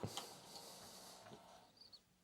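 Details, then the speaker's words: Kaypro II floppy drives after cleaning and lubrication, first power-on: a soft, even motor hum with a few light head clicks, no scraping or scratchy noise as before; drives reading normally. "I can hear them spinning so they definitely still make a noise but it's more of a con sort of hum rather than a scratchy sort of noise that they made before"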